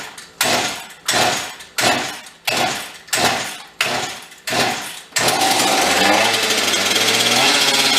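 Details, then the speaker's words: Husqvarna 266 chainsaw, stock, before rebuild, needing a carb kit: rhythmic pull-cord strokes, then it fires and screams at steady high revs instead of dropping to idle; idle speed set extremely high. "apparently idle is set extremely high"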